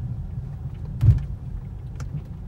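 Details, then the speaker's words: 2005 Mercedes C230 driven on road: over low rumble, a dull thud then a fainter knock from front wheels; clunk over bumps, suspected worn lower control arms. "so this car has been making some clunking noises on the front wheels"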